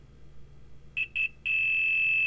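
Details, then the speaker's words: Water-damaged iPhone X logic board under repair for a non-working 1X camera: two short chirps, then a steady high multimeter continuity beep between the inside and outside pad, confirming the pad is good. "that sounds mean that there's continued in between this the inside and the outside pad it means that the pad is good it's working"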